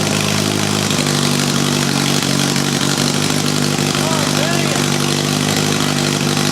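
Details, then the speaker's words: Rebuilt turbo Honda Accord (CD5) engine on first startup with only bare essentials, open exhaust and no intake piping: loud idle holding an even, steady beat with no misses or stumbles; motor sounds healthy, all injectors firing. "at least I know the motor is healthy it runs all the injectors are firing it seems like it's in pretty good time I don't have any you know misses"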